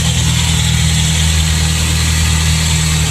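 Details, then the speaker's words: Honda Prelude with a JDM engine idling hot after a Gunk degreaser wash: a smooth, even petrol idle with a steady low hum and no ticking, knocking or misfire. Normal idle. "Alright, so I got it started. Sounds good."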